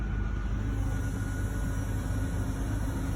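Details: 2002 Ford Explorer 2-door after repairing a fuel pump hose through a cut access panel. Smooth, even low rumble with no knocks, misses or surging, idling steadily, though it later dies out: normal idle.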